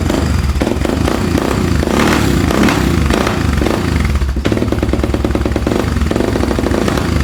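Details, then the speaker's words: ATV after stator reinstalled, started right up: fast, rich, slightly lumpy idle that doesn't settle because the choke is on. "Sounds like the choke's on. Yep, choke is on."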